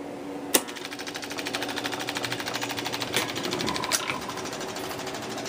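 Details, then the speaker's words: 1961 Seeburg AY100U jukebox gear mechanism after oiling a dry clutch with 3-in-1 oil: steady even light ticking about three per second, no stray clicks; clutch now working. Normal running mechanism. "Working much better, because the clutch is working. The clutch is the all-important thing in this gear mechanism."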